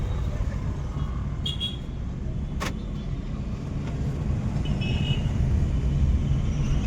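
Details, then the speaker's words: Maruti Swift diesel on road trial after major service with diesel tank removed and cleaned: steady low diesel drone swells evenly as the car pulls away under throttle, smooth full pickup, picks up speed as accelerator rises; no knocks or whine; normal acceleration. "Smooth झाली गाडी. अशी जसं accelerator वाढवलं तसं एकदम speed पकडायला लागल्या."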